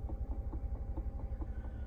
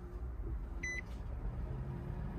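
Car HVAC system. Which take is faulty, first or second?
first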